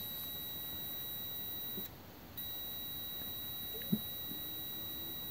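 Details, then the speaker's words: Continuity tester on the ignition points of a Model A roadster (32 rails), after a light clean with wet and dry and no adjustment: a steady high-pitched tone drops out once, then returns, showing both sets of points closing properly. "so now they're closed and the one opens the other one open so they're they're open now then one closes and the other one closes"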